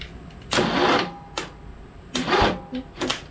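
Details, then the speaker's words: Early-2000s Craftsman LT2000 V-twin lawn tractor, sat about a year: short, sluggish cranking bursts that stall and stop, then retry; starter drags and hangs up. Owner suspects starter froze from sitting, not confirmed. "it could just be that the starter had been sitting up up so it kind of froze I don't really know yeah it was definitely tight so it feels like it has freed up some but we'll see"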